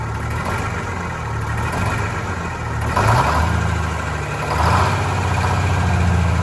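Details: Vintage diesel bus, cold day, after injector cleaner: idle hunts unevenly, low beat wandering and revs surging, sounding starved; air still entering fuel, suspected from a line before the newly replaced hoses.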